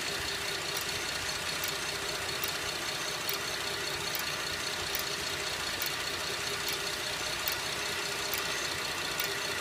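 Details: 2011 Buick LaCrosse CXL at idle; sharp metallic tick a little over once a second, slower than firing but speeding up on acceleration, checked by stethoscope for location; source unknown.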